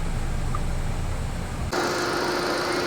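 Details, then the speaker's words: Ford EcoSport with 92,719 km and an A/C not-cold complaint, 35°C ambient, fan and cooling set to max; a low engine rumble, then an abrupt click as the A/C compressor kicks in with a steady hiss and faint hum; it engages normally. "คอมแอร์ทำงานปกติ"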